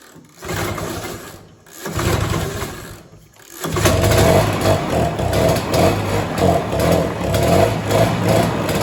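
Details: 1967 Ski-Doo Alpine twin-track snowmobile, sat many years, run on its own fuel line: cranking pulls, then twin catches and runs lumpy, about three beats a second, loading up rich; flooding, owner suspects debris in needle and seat.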